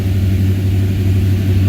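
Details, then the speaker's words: 1978 Ford Courier warming up after a cold start; low, even idle with a steady, smooth beat, no knocks or misses. Normal idle. "I'm going to give her a couple more degrees. Kick her down one notch. So now, bam, 700 RPM."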